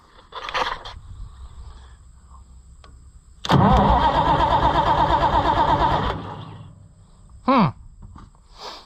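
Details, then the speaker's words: White 2-70 gas tractor, choke pulled, after it nearly ran the night before: about two and a half seconds of steady even cranking that never fires; cranks but won't start. "now today it doesn't want to fire we just are having such a terrible luck here with stuff"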